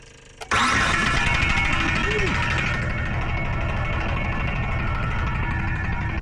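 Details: Car with a dead, 9.5-volt battery that won't hold a charge, jump-started with a LOKITHOR JPD400 3000A jump pack after a countdown; catches almost at once after a brief crank and settles into a steady, even run with no stumbling; starts normally.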